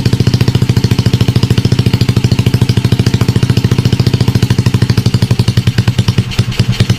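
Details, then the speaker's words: Motorcycle with Smash carb converted to piston-type carburetor, NLK open pipe, first kick-start sound check: loud, even crisp open-pipe popping at low idle, about three and a half pulses a second; steady normal idle. "So, pakinggan natin with NLK open pipe. Unang sipa."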